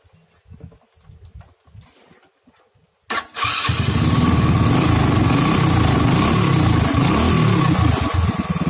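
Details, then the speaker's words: Honda Astrea Grand motorcycle whose electric starter failed: engine runs steady and even, a stable single-cylinder putter; fault traced to a faulty CDI, pulser coil fine. "Nah, yang ini sudah menyala, bagus dan stabil."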